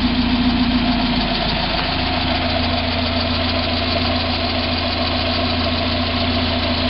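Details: 1990 Mazda Miata at idle: steady fast light ticking three to four a second over a separate faint knock that separates from the hydraulic lifter noise when accelerating/decelerating; persists with 93 octane. Source unclear.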